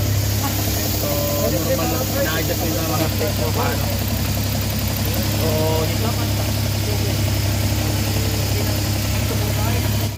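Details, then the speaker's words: Suzuki DA17 with no fault codes, after replacing the ECU part and vacuum hose, aircon on: idle sits high with a coarse, uneven drone and vibrating rumble; earlier RPM hunting gone but engine still shakes with high idle. "so nakita niyo guys narinig niyo na sobrang ingay talaga ng makina Wala siyang magandang Menor kanina namamatay nanginginig ngayon naman ah Mataas yung Menor"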